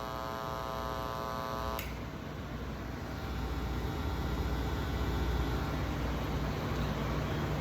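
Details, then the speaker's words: Church sound system through speakers: steady buzzy hum, harsher in the first two seconds then a lower drone; mains buzz because the sound system shares a circuit with outlets and lighting instead of its own independent circuit. "é que tem que ser circuito independente, elétrica do som independente da elétrica de tomadas comuns e iluminação? Por isso."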